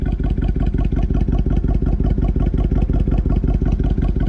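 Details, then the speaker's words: 72,000-mile "runs and drives" auction vehicle idling with AC on: lumpy idle with a heavy low pulse about 167 per minute and an uneven big-exhaust note; cause not found; rough idle, abnormal exhaust note. "But that big old exhaust does not sound like it should be. It is not happy."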